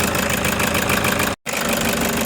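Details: Toyota Hiace diesel with engine vibration and knocking, injectors possibly involved. At idle, a hard, rattling knock sits over a coarse rumble with noticeable shake; the cause is suspected, not confirmed.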